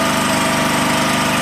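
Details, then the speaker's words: Champion 4375/3500 W single-cylinder generator after a thorough carburetor cleaning, started on the fifth pull, filled with used motor oil: a steady, even beat and smooth drone with no misses or knocks. Runs normally with voltage output working. "That's running relatively good. It didn't have any oil."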